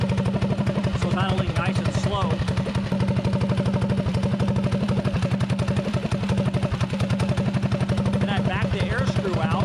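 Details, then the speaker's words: Predator 224 single-cylinder GTS mini bike with 24mm PWK carburetor, rejetted: air screw backed out to highest idle, steady even thump with no misses or hunting; idle mixture set correctly. "out till the idle picks up so you can hear it picking up so it's pretty much iding the fastest right there"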